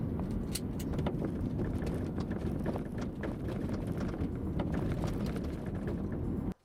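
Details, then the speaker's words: 2011 BMW X5 E70 xDrive50i driving, microphone in the trunk: irregular light rattles and ticks over low road rumble, from the lower deck lid (tailgate) latch, not the upper latch. "so this is a recording of the actual rattles taken with the microphone placed right in the trunk"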